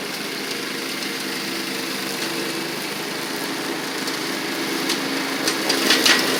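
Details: Toro Proline walk-behind mower, Kohler Command engine, after carburetor, spark plug and blade work: even fast single-cylinder buzz, steady pitch rising slightly toward the end; runs smoothly, owner notes slightly rich at idle.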